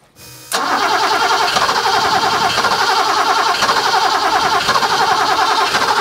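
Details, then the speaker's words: 1980s fuel-injected BMW E12 M535i Lightweight barn find, untouched 30 years, on a temporary external fuel pump rig: starter spins steadily about three turns a second for six seconds, never fires; fuel pressure unknown, gauge needed. "give the starter a rest yeah well it needs a fuel pressure gauge as well isn't it because we don't know whether we don't know if it's even got any pressure"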